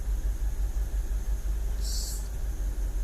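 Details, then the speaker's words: 2006 BMW 750Li with N62 engine, rough idle after valve cover, upper timing cover and alternator bracket gasket replacement: low, uneven idle rumble with a lumpy, stumbling bog; a fault code returns after clearing, no engine light, suspected misfire. "i don't know if you guys heard it it's kind of like a the engine bogged a little and it had like this little to it"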